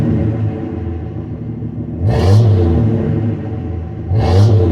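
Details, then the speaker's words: 1966 Dodge Dart 225 Slant 6 with a rebuilt engine (400 miles) and new 2 1/4 inch exhaust with an imitation Flowmaster muffler, in 110 degree heat: deep, smooth rumble with two clean rev blips, no misses or rattles, no overheating; healthy, normal exhaust note. "She runs real good out here in the 110 degree heat driving around. She don't get hot. Sounds healthy. Runs good."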